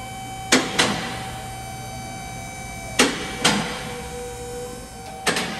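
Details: Customer feels something loose; sharp paired creaking chirps as the steering wheel turns back and forth, from a dry sway bar link pin that goes quiet when clamped; grease recommended.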